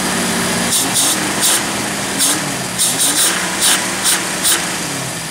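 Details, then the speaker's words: Jeep Wrangler YJ engine starting right after throttle body cleaning and reinstall with new gasket, out of gear: catches and settles into a steady, even idle hum with some sharp chirps over it, a normal start and idle. "and for those of you who just have to hear it start up and run let's do that"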